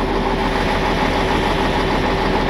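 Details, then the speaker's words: Cummins diesel tow truck, warmed idle, with a sudden bad knock and blue smoke: uneven fluttering beat under the clatter, one cylinder missing; owner suspects a bad injector, to be diagnosed at the dealer. "You hear that kind of flutter? Yep, I would say that's an injector."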